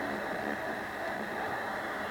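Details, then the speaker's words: Yaesu FRG-7 communications receiver before restoration, tuned to the upper AM band in daytime: steady even hiss with no tones and one sharp click near the end; the noise shows the oscillator is working. "let's see so we do hear noise which is good it means that the oscillator the oscillator is going it's working"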